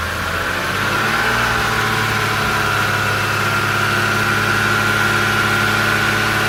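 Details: BMW Z4 E85 3.0si, N52B30 engine, drive belt removed so the belt drive is ruled out: steady thin whirring hum when revving, worse near a wall and worsening over time; owner suspects DISA flaps.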